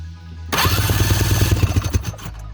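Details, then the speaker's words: 2004 Ski-Doo GSX 600 HO after a startup backfire: rapid, even cranking chuffs for under two seconds that never catch; weak spark from wet, black, fouled plugs on both cylinders; replacement with BR9ECS plugs follows. "it's a little in there when in doubt replace the spark plugs let's do that now"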